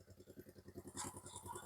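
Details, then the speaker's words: Wave100 single-cylinder motorcycle engine rebuilt with new piston, rings, valves and valve seals, on its first start after assembly, cool winter weather, warming up during run-in. A soft, regular putt of about eight per second with no ticks or knocks: a healthy idle. "ครับก็คงต้องลันอินไว้อย่างนี้ก่อนนะครับัก10-20นาทีก็สมบูรณ์แล้วนะครับ"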